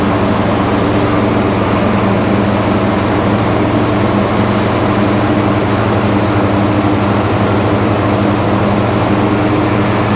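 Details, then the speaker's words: Husqvarna lawn tractor, 26 hp V-twin, about 500 hours, deck unused for years: runs at its 3300 rpm no-load speed, then a steady low drone that never climbs back once the electric PTO is engaged; engine bogs under load, sometimes dies. "top no load speed of this engine it's 3 300 rpms it's sitting right at 3300 um but as soon as you engage that pto um it just does not get up you know"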